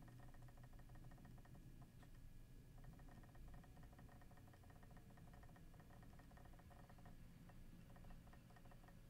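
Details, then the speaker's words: Seagate Exos enterprise hard drive during a rewrite operation: a quiet hum with rapid, even bursts of clicking and brief pauses, which is normal seek activity. "so straight away you must have noticed there that there is a lot more background clicks there in the background during this rewrite operation"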